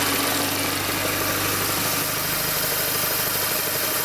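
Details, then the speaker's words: First-generation Mini Cooper S after serpentine belt replacement: steady, even idle with no squeal or chirp, much quieter than before; normal idle with new belt. "All right, there's our shiny new belt going around and around. So, It's a whole lot quieter, and it's probably going to be a whole lot more reliable too."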